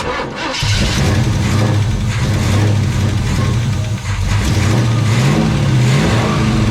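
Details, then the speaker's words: Chevelle that sat in a barn 15+ years and caught fire the last time it ran, with the failed mechanical fuel pump swapped for an electric pump: catches after a brief crank, blips, settles into an even idle, no misfire; healthy start. "It runs. It melted my zip tie bracket, but I guess that's okay."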